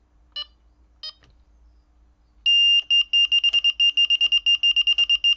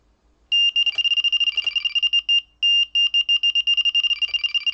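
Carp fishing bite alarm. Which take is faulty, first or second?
first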